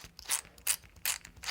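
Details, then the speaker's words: Custom six-wheel-drive RC truck, steel transmission with dual brushless motor mount, new steel 48-pitch slipper spur gear fitted after a stripped idler, spun by hand: four short gritty high-pitched metal-on-metal whirring bursts; gear mesh too tight, backed off. "sounds a little bit tight hey let's back that off just a little bit"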